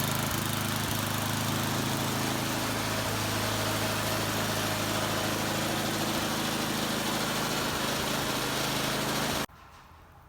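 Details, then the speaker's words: Poulan Pro Snow King snowblower, Tecumseh 8.5 hp single-cylinder, after replacing the carburetor to cure surging, tested with shroud off: steady, even beat with no hunting or surging until switched off; running much better. "right that seems to be running a lot better and put that shroud back on"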